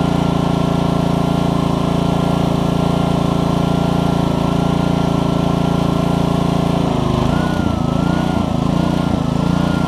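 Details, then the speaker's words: Troy-Bilt pressure washer with Honda GCV160 on a new HiPA carburetor, pump running after an obstruction was cleared by repeatedly pulling the trigger. Owner thinks it no longer makes 2600 but about 1500–1600. Steady single-cylinder note dips briefly as load comes on, then settles and pulls cleanly. "not finding up anymore which is great and it has just got a d i don't think it's got 2600 on it anymore but it's probably got about 15 to 16. but he is it's running good"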